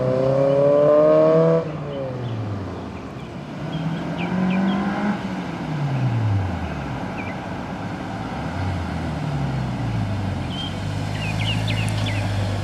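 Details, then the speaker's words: Civic Si (EP3) with JDM K24a2 swap, 3" quiet exhaust with twin loop muffler and dual tips, 91 octane tune; drive-by with gentle slow upshifts for new-clutch break-in: clean rising exhaust note, no rattles or misfires. Normal. "So we're not going crazy with it, as you can tell. It's still a new clutch. It still needs to be broken in. That's why we're shifting relatively slow as well, but things sounds good."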